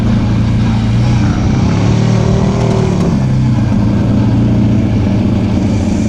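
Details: Off-road machine with a CVT, on its first trail ride after being brought back to running, warning light on: loud low drone whose pull fades and bogs under load. The CVT drive belt was slipping and later broke.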